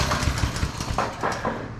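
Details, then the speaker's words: TrailMaster Mini XRX go kart, small single-cylinder engine, after the sticky rusted clutch and chains were lubed and adjusted, started without choke; popping unevenly at fast idle with rev blips, slinging oil as it frees up: normal running. "that's what it was it was all this uh rusted nasty stuff back here and now you see it's slinging oil everywhere and it's freeing up nice that oil freeing it up nice"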